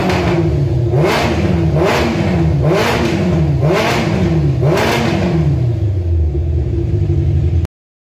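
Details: Kawasaki ZZR 1100 motorcycle engine swapped into a Fiat Panda 750 Fire ("Mega Panda") during electrical and engine testing: it catches and revs crisply up and down about five times, then settles. Normal, healthy revving.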